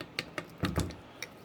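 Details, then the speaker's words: Honda CR125X bottom end, new crank, turned by hand; bearings missing balls in spots, side-to-side play felt: a handful of sharp, uneven clicks, rough and loose; worn bearing. "i don't know how well you guys are able to see it but like oh right inside there them bearings are missing in spots um but the weird thing is like it's got side to side play but the eye can feel the up and down you guys can hear it"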